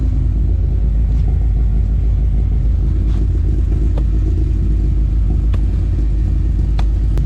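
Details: Toyota Altezza with 3S-GE Beams engine on individual throttle bodies, Haltech Elite 550, first startup on basic tune, good oil pressure, recorded from front of car: deep even rumble, no misfires or knocks; running slightly rich.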